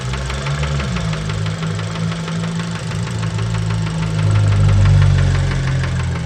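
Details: Fiat Bravo 2 1.4 T-Jet 150 HP at 215,000 km, after recent maintenance, close to engine: heavy regular knock about four per second over steady idle; worn rod bearings confirmed, car scrapped, cause unknown; rod knock.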